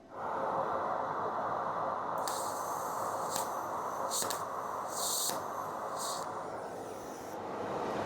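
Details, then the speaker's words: MIG welder with the wire feed speed deliberately turned down during a test tack: an uneven sputtering hiss with irregular pops instead of a steady frying crackle. The arc is stalling, showing more wire speed is needed. "So, you can hear that was stalling. So, it was telling me that I need more wire speed."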